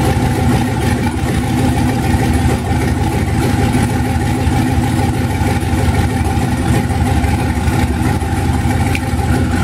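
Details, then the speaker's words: 1991 Mazda B2200 with rebuilt 6.0 LQ4 V8 swap, twin turbos, 80lb injectors, stock 2002 GM computer on 2-bar SD base map, first startup with good oil pressure: deep, slightly uneven lumpy idle and steady exhaust roar; rough running on untuned base fuel map. "open a cop still needs to be tuned but very exciting to hear the motor finally run after rebuilding the stupid thing"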